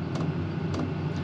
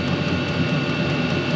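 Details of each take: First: New diesel heater in cargo trailer camper: dull uneven thumps, about two or three a second, over the steady low hum; owner dislikes the thumping noise, cause not yet figured out. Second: New diesel heater in cargo trailer camper, warmed up, running off a battery: steady fan roar, faint constant whistle, even combustion rumble, no surging; working at full output.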